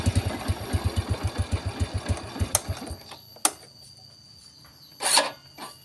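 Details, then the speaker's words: Vega R motorcycle: slow, labored starter cranking about five or six pulses a second, stopping after three seconds; heavy cranking attributed to carbon in the combustion chamber and thick engine oil, fix is cleaning the combustion chamber. "Nah ini bisa teman-teman dengerin tadi suara ketika motor di starter terasa berat itu tinggal kita bersihkan di bagian ruang bakar"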